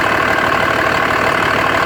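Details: 2004.5 Dodge Ram 2500 Cummins diesel at idle: loud, steady clatter with a slightly uneven, lumpy beat. Owner suspects rough idle and blow-by, noting excessive vapor from the oil fill cap; unconfirmed.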